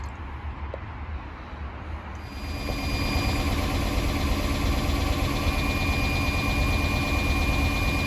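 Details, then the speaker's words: Chrysler 300C 5.7 Hemi after head gasket replacement and fan install, running while air bubbles purge from the cooling system: smooth, even V8 idle with faint steady whine, no ticking or misfire; sounds a lot better; slight squeak possibly a pulley or belt. "sounds a lot better after it's been running a little bit of bubbles inside there getting all that air out cooling system"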